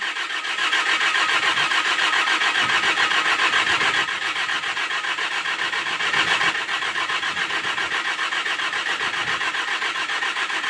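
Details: Bobcat S530 skid steer with new battery, electrical issues, first snow, cold start: starter churns steadily three or four beats a second for over ten seconds without catching; owner suspects it needs priming.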